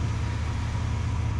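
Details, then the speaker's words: Chevrolet S10 idling after replacing the restrictive 2-inch exhaust and suspected clogged converter: steady low rumble with even pulse, no rasp, drone or leak puffing; quiet, smooth running. "Power and torque increase for sure, which is pretty good. And it is now quiet as well."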